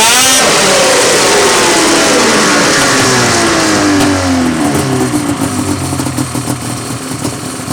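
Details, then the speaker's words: Rotax 700 two-stroke snowmobile engine after teardown to pack the crank bearing: crisp rev winds down smoothly to a steady, buzzy idle with no misfires; runs good, no leaks. "Huh? Sounds like it's ready to go. That way. Runs good, no leaks."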